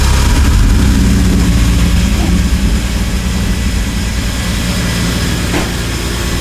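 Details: BMW E46 M3 first start after valve clearance adjustment, new spark plugs, ignition coils and valve cover gasket to fix a misfire: loud rough low rumble with clattering as the engine fires, caused by a ratchet and socket left on the crank pulley.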